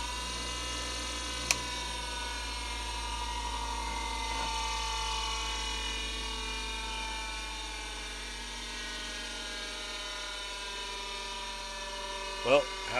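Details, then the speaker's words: Wolf bench grinder after its switch was fixed, back cover still off: steady high siren-like whine over motor hum, pitch drifting slightly; grinder works but whines like a cop car, cause unclear. "works sounds like a cop car or someone's bad vibrator but [ __ ] works"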